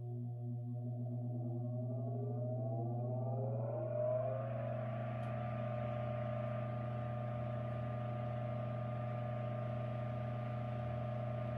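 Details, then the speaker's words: 1940s ILG Model 103 self-cooled ventilating fan, motor model 547, 115V, 0.55A, 0.014 hp, rated 1550 rpm, 9.5-inch type Q blade, at startup: mains hum while the tone climbs smoothly over four seconds to constant speed, then an even, quiet run with no rubbing or rattle. "we're going to start this fan up and hear it hear it's a startup sound and hear it"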